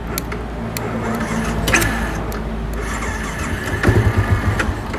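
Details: Yamaha V-Ixion (older unit) that won't idle and keeps dying; starter jumpered with pliers, the starter spins briefly, then the single catches with uneven pops and settles toward idle, so the starter motor itself works.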